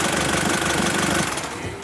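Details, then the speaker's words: Nissan Frontier after starter replaced with original two-bolt unit, flywheel new, previously grinding on start: short even starter whir without grinding, engine catches and runs steadily; normal starter cranking. "Olha aí vamos dar partida nela aí Tom por favor só para vocês verem a partida como ficou show de bola vendo aí pessoal partida macia"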